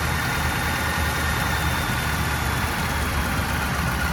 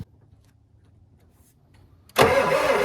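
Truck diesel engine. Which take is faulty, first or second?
second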